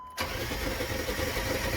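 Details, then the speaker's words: Dodge Ram 1500 Hemi V8 no-start: starter spins the engine unusually fast and evenly without catching; mechanic believes low compression rather than a fuel or fuel-pressure problem, not confirmed. "no guys that is not no fuel that is not no lack of fuel pressure all right this thing's spinning over"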